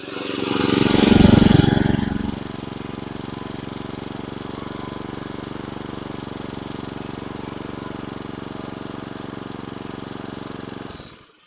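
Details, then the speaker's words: Mower engine settling into a slow, steady idle slightly below proper rpm; owner noted low idle, needs idle adjustment. "So you can hear the idle's a little low. When he first dropped it off, he did mention that to me when I started."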